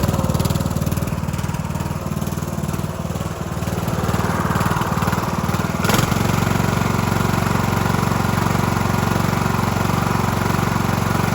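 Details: Cub Cadet LT1045 mower (276 hours) repowered after its original engine cracked its case and locked up; run of the replacement on choke via jump pack gives steady, even low thumping with a firm regular beat, no misses or knocks. Running smoothly.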